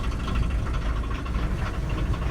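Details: VW T25/T3 Westfalia pickup diesel, idling just after its first start in six months: steady low rumble with even clatter, no knocks or misses, a bit smoky but healthy.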